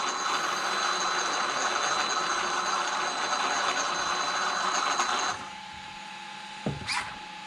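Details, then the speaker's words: Traxxas X-Maxx RC truck after cush drive repair (previously chewing spur and pinion gears), test spin: steady even electric whir about five seconds, clean spin-down, no clunks; no longer surging high-low as before, though a slight tight spot remains. "you can hear how it's real consistent now it's not going high low high low high low like the last video yeah that's way better guys way better"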